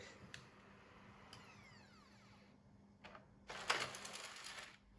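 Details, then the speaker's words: PS4 disc drive after cleaning, which had slow disc intake and eject: quiet whirring and faint ticks, then a sharp second-long burst of loose clattering as the disc ejects; something still rattling inside, owner suspects loose rollers. "there's still something rattling a small people oh okay i think when the rollers might still be a bit loose or something"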